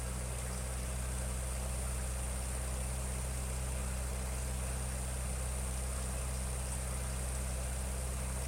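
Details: 1956 Ferguson TO35 tractor gasoline engine after draining water from the tank, sediment bowl and float bowl, earlier stumbling at idle: low, even putter at idle with no stumbling or misses; running smoothly, with a suspected exhaust leak near number 4 cylinder.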